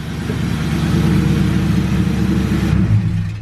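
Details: Car after a clutch kit, lightweight flywheel, solid motor mounts, short throw shifter and clutch cable install: on the third try the engine catches and settles into a steady, even rumble with a brief rev. Earlier loud screeching and stalling are now gone; running normally.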